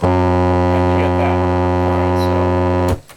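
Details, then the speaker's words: National RX-5100 JDM radio cassette tape deck playback: works fine at very low volume, but cranked up gives loud harsh buzzy distorted tone; tape deck noisy. "this is play at very low volume it works great but you crank up the volume"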